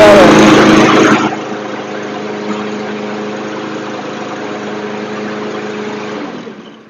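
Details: Troy-Bilt TB220 push mower, 159cc OHV engine, after carburetor cleaning and recoil repair; pull start, then a smooth, even hum at steady moderate speed with no surging or hunting, running properly.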